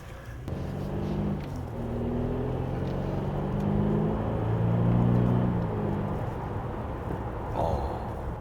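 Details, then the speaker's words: BMW 528i F-body (F10) on a drive after rear differential teardown, rebuild and backlash adjustment: smooth, even drive hum rising and falling with speed, with no whine, and no ticking on lift-off; the diff is healthy, though engine mounts cause slight cold vibration in low gears. "소음도 전혀 안 나요. 전혀 안 나고 좋아. 뭐 뗐을 때도 약간 톡톡거리는 것도 없고."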